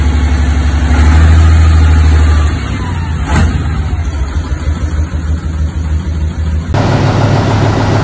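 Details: 1976 Tatra 813 V12, first start after about 20 years idle, following replacement of damaged parts and engine rebuild: deep steady even rumble with a short rev settling back; runs smoothly.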